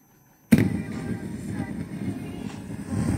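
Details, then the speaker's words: Samsung RCD-M70 boombox cassette deck on rewind: it starts with a jolt, then a low rumbling whir with rough chatter, noisier than normal; the gear drive is suspected. "Вот это шум. Перемотка назад работает пошумнее, видать шестереночный привод."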